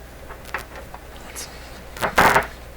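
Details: Nordmende 3004C tube receiver with speakers connected, volume full, shortwave antenna being connected: quiet hiss broken by short sudden crackling bursts, one near the start and a louder one later; intermittent noise, source unknown (loose bulb wondered).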